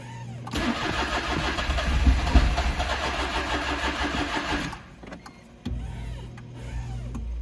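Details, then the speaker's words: Smart Fortwo with a faulty engine coolant temperature sensor, cold after a 15-degree night and on a battery charger. The starter grinds steadily for about four seconds with no firing; it later starts after pumping the pedal. Cold crank, no start. "ttle bit here and you can hear it tries to fire but nothing so i'm going to put my foot down on the gas pedal and pump it a little bit"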